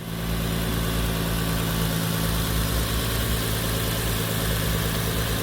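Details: Turbo Lexus IS300 on ECU Master Black standalone, timing locked at 10 degrees for timing-light check: smooth steady idle hum with no knocks or misses; normal idle.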